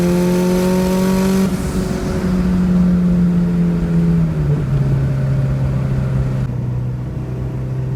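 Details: Nissan Sentra with SR20VET swap, new traction bars, under load: strong even drone stepping down in pitch without surging; turbo boost holds a steady 9 psi, where it previously fluctuated between 6 and 9.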